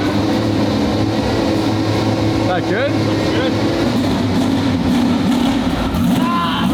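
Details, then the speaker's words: Twin-turbo V12 Ferrari on first shakedown after build, on the ground for first drive: steady, even low V12 hum at idle, no misses, knocks or surging; smooth, healthy idle. "at idle it sounds like sounds really cool at idle it's got that V12 hum to it"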